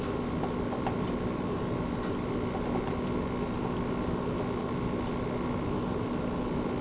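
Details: Launch-day base PS5, microphone right on top of the console: only a faint steady airy hiss with a low hum, no rattle or whine; barely audible. Normal fan noise.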